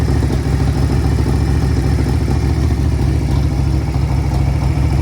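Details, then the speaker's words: $200 auction Harley-Davidson V-twin, first start, on choke while warming up: even loping idle with steady low rumble, no knocks or misses; motor sounds healthy, though carb needs rebuilding due to hesitation. "right? I mean, that motor sounds good. Jeez, I got to keep running on. I have it choked."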